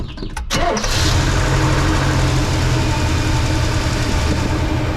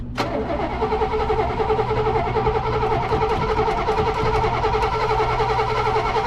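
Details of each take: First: 1968 Oldsmobile Delmont V8 after oil change to thicker oil, old oil fuel-diluted: quick crank catches at once and settles into a steady, even idle with a deep rumble and no tapping; valve train quieter. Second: 1968 Oldsmobile Delmont after sitting a week, pedal pumped a couple of times while fuel comes up: starter churns steadily for about seven seconds before the engine catches and runs well.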